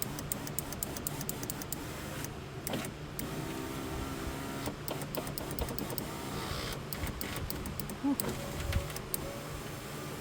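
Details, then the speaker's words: Jeep Grand Cherokee left rear door with a newly replaced window regulator and motor, door panel off. Rough, uneven grinding and scraping with clunks as the glass travels; the owner may lube the dry track with silicone. "It already sounds like hell, doesn't it? Probably shoot some silicone in there."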